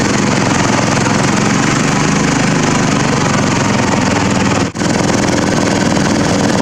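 Small single-cylinder engine runs steadily with a loud, slightly uneven beat and one brief dip; it idles but still sounds rough.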